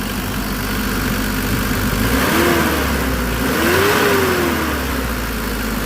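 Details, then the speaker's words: Mitsubishi Delica Star Wagon diesel, warming up on hand throttle set to 1,000 rpm: steady, even fast idle with gentle swell and no knocks; injectors serviced, timing belt done 27,000 miles ago. "I'll pull it up to 1,000 RPM, crank it to the right. And I'll just let it warm up like that."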